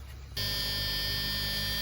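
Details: 2001 Tiffin Allegro Bus 35IP motorhome, ignition on, dash fuse panel later found shorted: a steady, shrill electric buzz cuts in and holds over a low hum. This is the low air pressure warning buzzer.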